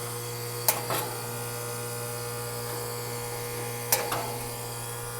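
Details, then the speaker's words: Outdoor AC condenser unit running on cool: loud steady electrical hum from the compressor, fan not turning, two pairs of sharp taps as it is kickstarted with a long screwdriver; fan won't start, likely a bad capacitor, to be replaced. "So it's making a lot of noise and the fan is not running at all. So I'm going to try to kickstart it."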